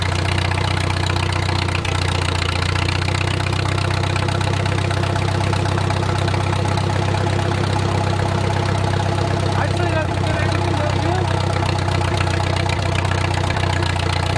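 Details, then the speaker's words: Wartime H, run after 20+ years sitting, idle slowed and at full operating temperature: a steady, even idle with no knock or tapping and great oil pressure; a common leak needs a part replaced; a normal warm idle. "got G going I don't hear any knocking to you we are at full operating temperature and we still got great oil pressure"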